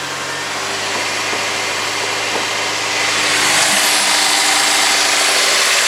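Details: Honda S2000 running: steady regular knock, about four per second, under a hissy background; rod knock suspected, not confirmed.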